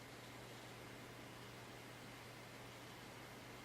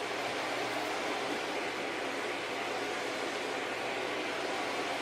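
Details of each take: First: Packard Bell iMedia S3720 desktop tower after restarting, starting Windows: low steady hum with soft even air hiss, no rattle or surging; the rear case fan now spins very slowly and quietly, normal. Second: Packard Bell iMedia S3720 desktop at power-on with a steady loud rushing roar from a small, about 80 mm fan and a low hum; something inside likely disconnected or faulty; loud fan roar.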